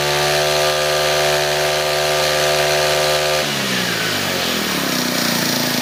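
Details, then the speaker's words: Brand-new GX25–35 class four-stroke brush cutter, just pull-started. Runs smooth and even with a steady buzzing note that settles as revs change, with no knocks or rattles. Normal running. "เครื่องยนต์ก็จะติดขึ้นมาเป็นลักษณะอย่างที่ทุกท่านได้เห็นนั่นแหละนะครับ"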